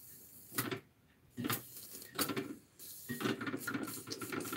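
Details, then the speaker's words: Small model steam engine, now warmed up, running wet: irregular wet chuffs with spitting, splashy hiss about one beat a second; water carry-over (priming) from an overfull boiler, less dribble when the boiler is less full. "that's running pretty pretty wet there give it a little bit longer now it's warmed up"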